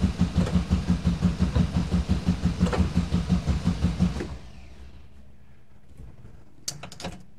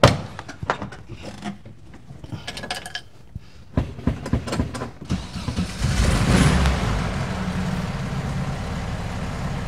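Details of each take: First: 1971 VW bus that sat two years, with a newly replaced starter: strong, regular cranking for four seconds with no firing, no fuel appearing despite power reaching the coil and the cutoff solenoid clicking; cranks but won't start. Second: 1971 VW bus, sat for 2 years, starter just replaced: a few clunks, then the engine catches and settles into an even, low, steady idle; normal start and idle, running again with more fixes to follow.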